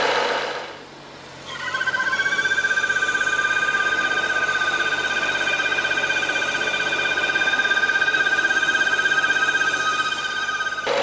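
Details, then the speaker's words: 2011 BMW F07 5GT, 3.0 gasoline turbo, 277,000 km: steady fluttering whistle-groan at idle, worse after a hot restart, heard near the front wheel behind the cabin; torn crankcase ventilation (PCV) valve membrane. "시동을 걸고 드라이브를 넣으면 휘파람 수리가나요 휘 들어오실 때부터 삐하는 수리가 났었어"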